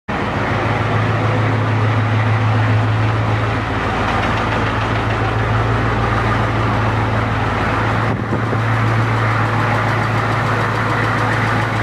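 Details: 1992 Ford 7.3 IDI non-turbo rebuilt engine, first start, deck cut .007in: deep steady diesel clatter with hard knock about 200 a minute at idle; knock disappeared after replacing cleaned old injectors with new E-rated ones.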